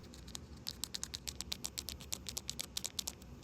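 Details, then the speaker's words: Craftsman string trimmer that won't start after neglect, carburetor diaphragm flexed by hand: dry crackling ticks about five or six a second; diaphragm has hardened and sounds crunchy, needing replacement or a rejuvenation soak. "But as you can tell by that sound, this diaphragm sounds very crunchy, which it's not supposed to be."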